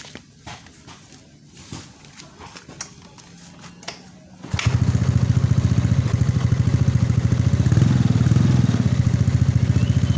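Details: Yamaha Mio scooter after a full engine rebuild for weak compression, no idle, a knocking noise and smoke from a scored bore: quiet handling, then the single-cylinder engine catches at about 4.5 s and settles into a steady, even idle.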